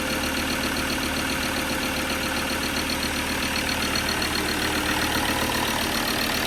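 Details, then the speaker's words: Ford Ranger diesel at idle after refitting a badly blocked, blowing EGR valve with new bolts and gaskets; loud but even diesel clatter, no hiss of escaping gas as before, engine running normally. "You can hear the engine, but I can't hear the hissing the same as we could."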